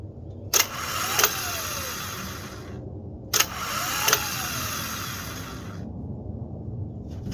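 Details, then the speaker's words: Ford F350 7.3 IDI diesel starter tested out of the truck on jumper cables, heard from inside the cab: two short high whirring spins with clicks at start and stop; starter spins freely. Normal starter operation. "So by the sounds of it from inside the cab, I definitely heard it spinning."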